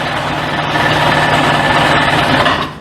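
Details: 1998 Sea-Doo with fuel selected and spark plugs in: steady buzzy cranking for several seconds that never fires, even with choke. The owner suspects the fuel lines, selector or filter, or a dirty carb.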